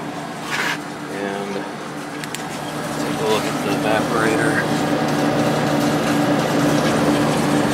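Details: Late-90s Whirlpool Accudry 40-pint dehumidifier with a reciprocating compressor (likely Embraco) and Emerson fan motor, warmed up and stepped to high fan at 6.46 A, 474 W: smooth constant whir swelling with fan speed over a steady compressor hum; normal operation.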